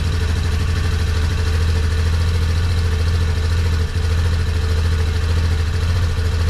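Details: 2003 Yamaha Big Bear ATV idling cold just after an oil change (3 quarts, oil cooler) and a new battery. A steady, even low thump with no knocks, misses or rattles; runs smoothly and sounds healthy.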